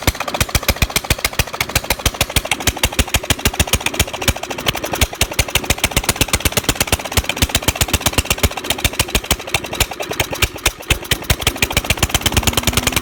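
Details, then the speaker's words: Old small lawnmower engine, long-sitting, just revived, running with the crusty muffler removed: sharp, crackling rapid pops at steady speed, loud and raw; head gasket reportedly bad. "yeah so i finally got this thing to work and that's what it sounds like with this old crusty muffler off there"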